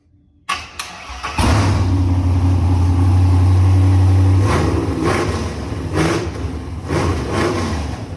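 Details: LS-swapped 2nd Gen Camaro, stock 5.3 truck V8 on a returnless fuel setup with Walbro external pump: starter whirs briefly, engine catches cleanly and settles into a steady, deep, even idle with light blips; normal start and idle.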